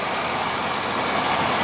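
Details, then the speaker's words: 1993 GMC Safari with the 4.3L V6 at 221,000 miles, fuel injector replaced earlier after running rich on 3 cylinders: steady, even idle with no knocks, misses or ticks, runs as good as when bought; a little smoke at first start-up. "Yeah, and yeah, this engine runs awesome. It runs just as good as the day I bought it."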